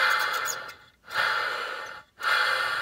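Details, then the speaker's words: Hoover Turbo Power UB088 vacuum motor, disassembled, rear field-coil bearing turned by hand: dry scratchy rasp in short strokes with pauses; dry bearing is what makes the motor run really loud, carbon brushes caked in dirt. "it? That's what's making the motor sound really, really loud."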